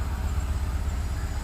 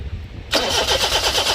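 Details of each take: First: 2004 Daihatsu Sirion that cranked but would not start, now running after the faulty EFI relay was replaced: a low, steady engine pulse with no misses or stumbles. Normal idle after the repair. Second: 2004 Daihatsu Sirion crank-no-start: starter spins engine steadily at about six pulses a second with no firing; no engine light and no power to injectors, traced to failed EFI relay.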